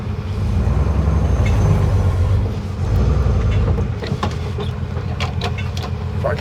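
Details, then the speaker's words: Jeep CJ5 being moved into the shop for an AMC 20 axle seal and bearing change: steady low rumble of the petrol engine idling smoothly and evenly, no knocks or misses; the owner says it cranks better than when he drove it regularly. "oh listen to that oh my God it cranks so nice it didn't quite this good when I drove it out all the time"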